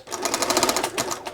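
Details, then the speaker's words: Bernina 930 Record Electronic sewing machine in long basting stitch, needle bar latch not releasing properly: runs with sharp, clacky ticks about fifteen a second, harsher than normal; latch mechanism suspected to need lubrication, not confirmed. "too too clacky so this needs a bit of attention there and the really long basting stitch that disengages the needle bar for a longer period of time"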